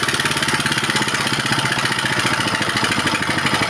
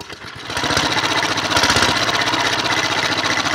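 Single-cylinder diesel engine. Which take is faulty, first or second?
second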